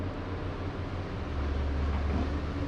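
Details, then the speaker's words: Diesel on a logging job that earlier felt like it was sucking air (assumed fuel issue), now running smooth as glass; steady even drone under road rumble with no chatter, rattle or stumble, normal running. "but it's smooth as glass now dirt perfect"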